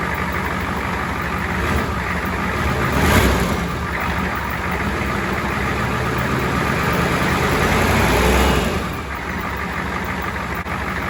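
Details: 7.3 diesel at first start after fitting a first-generation Banks turbo kit: steady, even clatter with short rev blips settling back smoothly, no oil leaks seen; it sounds healthy.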